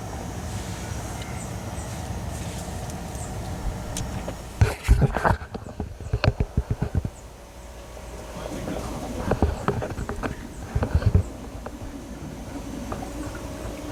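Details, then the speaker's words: Nissan Titan XD Cummins 5.0 diesel, key-on lift pump priming about 30 seconds after a fuel filter change: quiet pump hum with irregular gurgling bubble bursts as air is pushed from the empty filter housing, pressure then sounding normal. "I don't know if you hear that. You can hear bubbles. The fuel filter is changing. These prime for about 30 seconds."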